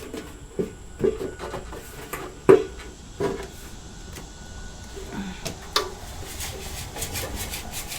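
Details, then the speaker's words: Fuel tank removed from a 1973 Honda 350F: irregular scraping rattles and gritty rustles as the empty tank is tipped, loose rust flakes sliding around inside. "listen to that rust dang"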